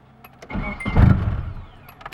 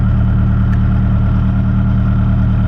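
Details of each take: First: Nissan 240SX with automatic ECU, started after months of repairs: short burst of cranking swells and fades without catching, start needed several tries; owner suspects a failing battery, untested. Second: Nissan 240SX back on the road after months of repairs, just started cold after a few tries (battery suspected weak): steady even low idle, smooth unbroken hum, no knocks or stumbles, warming up.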